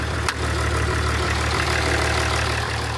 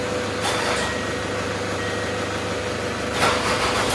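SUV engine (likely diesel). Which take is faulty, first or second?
first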